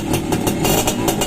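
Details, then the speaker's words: Freshly overhauled Suzuki X4 motorcycle, stock engine (connecting rod work), hydraulic clutch, after reassembly: short burst of crisp single-cylinder revving that settles cleanly, no knock or rattle; owner notes it is quiet, normal revving. "Hindi naman natin dinig yung makina nito kasi nga stock. Pero tahimik naman siya. Okay na siya mga kamikaniko. Ayos."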